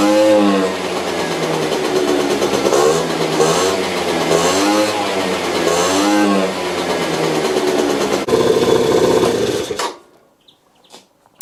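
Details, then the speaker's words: Benzer GT 50 two-stroke scooter, first start after sitting unused 4 years with oil in carburetor and crankcase: buzzy engine revs in lazy uneven swells, hesitates between blips, then dies; running rich, fuel mixture needs trimming. "jeszcze będę tutaj sobie sprawdzał na pewno trzeba podregulować troszeczkę dawkę jeszcze paliwa bo trochę go coś tam"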